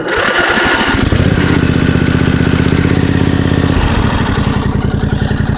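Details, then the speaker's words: Toro LX425 riding mower, cold start on choke with jumper cables from a large battery after its own battery sat dead: a few slow cranking turns, then it catches and settles into an even, steady single-cylinder idle; normal cold start. "that month while starting basically it started real good"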